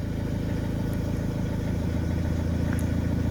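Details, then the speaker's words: 2009 Vauxhall Movano diesel school minibus, previous no-start with no engine ECU communication from blown fuse, now powered via power probe: even, low diesel clatter at steady idle, no stumbles or hunting; engine light on; normal idle. "And now you can see that the vehicle is running. So the engine light's on."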